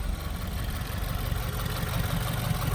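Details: 2018 Subaru WRX base, Stage 1+ tune, big intake, muffler/resonator delete: low steady idle with a light repeating click on top; owner suspects lifter, rod, exhaust leak, loose bolt or clutch, cause unconfirmed; engine ticking at idle.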